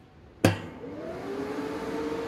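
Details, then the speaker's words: AGT MX-15R mini excavator that ran hot, newly installed DIY cooling fan: a click as the battery disconnect is switched on, then a smooth whir spinning up to a steady tone before engine start; fan running normally. "First step is to turn on the battery disconnect. We should hear the fan going."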